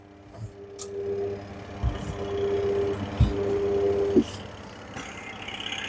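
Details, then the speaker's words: Candy semi-automatic washing machine on wash cycle, spin works fine: steady electrical hum in short bursts while drum barely moves; wash motor bush sticking so motor stalls, fixed by replacing wash motor. "It's getting stuck only but not rotating. This humming noise coming from the motor."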